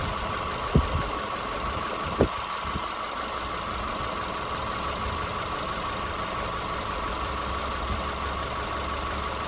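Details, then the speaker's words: 2010 Subaru Forester AWD Premium, one owner, 83,000 miles, steady smooth idle recorded from above the engine bay; a couple of stray early clicks, the engine sounds healthy. "I'm just going to hover right here over the top here so you can listen to it at idle"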